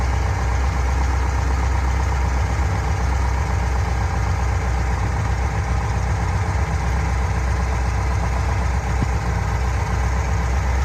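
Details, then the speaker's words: Fuel-injected Corvette V8 idling after adjusting a noisy lifter and securing its lock nut: steady, deep rumble and no more clacking or ticking from the valvetrain. "could it be i'm not hearing any clacking anymore"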